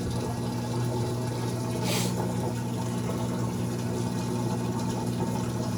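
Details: Amana washer, model NTW4516FW1, in diagnostic mode entering final drain and spin: steady low pump hum with rushing water and brief splash, even and untroubled; drain pump and spin start working normally.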